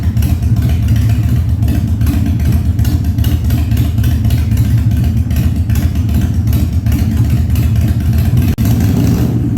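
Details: 1997 Harley-Davidson Fat Boy after carb cleaning, new spark plugs and new battery, no air cleaner fitted; cold start on choke at 70°F, humid. Deep, even V-twin rumble revving up cleanly and steadily, no popping or stumbling; revs normally.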